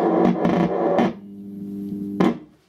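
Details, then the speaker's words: Peavey Bandit 112 Transtube guitar amp at power-on: rough crackling burst, then low steady buzzing hum with stacked tones above; internal fault needing investigation. "So something a bit wrong with that. I'm going to have to investigate, aren't I?"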